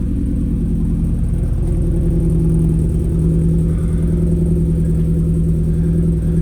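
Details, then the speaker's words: Ford Focus RS at idle: a deep, uneven, stumbling beat with dropping pulses, running very lumpy as if missing, though it ran sweet days earlier; cause unknown. "I'll say I'm a huge fan of the scoops. It's running really, really lumpy. I don't know why."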